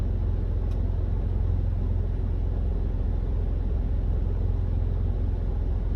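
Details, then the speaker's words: Smart car, three-cylinder, rebuilt engine off the road since 2018, driving to its MOT with temperature holding at 80 degrees: steady low drone while cruising, even, no knocks, misses or surges; a little slow but not jerky, healthy. "probably three cylinders sounds pretty good it sounds good i give october knowing it is a little bit slow it's not jerky which is good"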